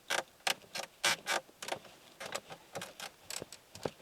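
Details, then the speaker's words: Opel Corsa interior: sharp, dry creaks and crackles in quick bursts as a plastic trim panel is pressed, its weak spot; the rest of the cabin makes no unwanted noises. "ale niestety Opel ma taką swoją piętę achilesową, a jest nią ten fragment plastiku."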